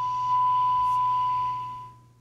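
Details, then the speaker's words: 1956-era radio with an early integrated circuit, dial set to 1600 AM during repair: steady test tone from the signal generator is received near 1400 AM instead, so the local oscillator is out of alignment. "the radio is pointing right at, 1600 a.m. right now and it's not hearing the signal generator which means that the oscillator is out of alignment"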